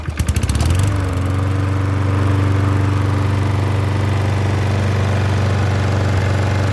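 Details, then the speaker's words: Troy-Bilt self-propelled mower with Briggs engine, after the carburetor clean and a new gasket on the leaking bowl screw. It was run 40 minutes, shut off and restarted: a quick pull start, then a steady single-cylinder putter that keeps running however high it is tilted. "i started it i let it run for 40 minutes and as you can see now no matter how high i tilt it it's still running just as it should"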